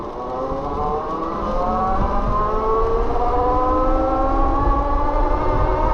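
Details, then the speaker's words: BBSHD mid-drive e-bike with Flipsky 75100 Pro V2 controller, whining tones climbing with speed over a rough rolling hum; noisy drivetrain, owner suspects the chain or the nylon gear being noisier than a PEEK gear, unconfirmed. "I was trying to establish whether this bike is just so noisy because like the chain is just going like and it's just like the drivetrain making all that noise"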